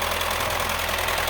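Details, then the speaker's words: Mini Cooper gasoline engine at idle: harsh diesel-like metallic clatter from the front, belts removed, stethoscope confirms timing chain slapping; likely a stretched timing chain. "stethoscope around the front even can feel that timing chain slapping around"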